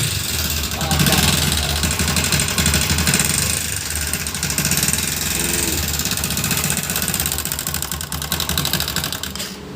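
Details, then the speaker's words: Bajaj Discover single at idle: fast light ticking and chatter, about four per second; worn rockers with jammed bearings and worn timing chain pads, need replacing, camshaft replacement also advised; valvetrain noise. "Viewers এই ধরনের ইঞ্জিন আওয়াজ হলে রকার দেখতে পাচ্ছেন, রকার দুটো চেঞ্জ করতে হবে। একদম বিয়ারিং জ্যাম হয়ে গেছে এবং টাইমিং চেন যে প্যাডগুলো আছে ওই প্যাড দুটো চেঞ্জ করে দিতে হবে।"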